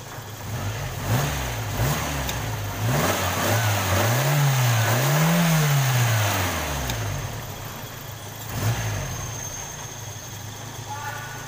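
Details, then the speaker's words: Toyota Kijang Krista 5K/7K carbureted petrol engine after spark plug fix: idles evenly and revs cleanly with no more stumble or misfire; carburetor cleaning still planned. "oke ini suaranya harus lagi udah enggak pincang lagi ya"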